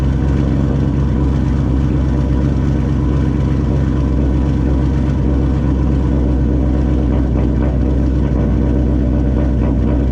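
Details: 2004 GMC Sierra, first start after installing a new Turbonetics 78/75 rear-mount turbo (previous turbo worn, leaked oil past seals), intercooler piping unhooked, idle only: deep, steady, smooth rumble with no whistle, rattle or hunting; no oil leaks, sounds normal and quiet.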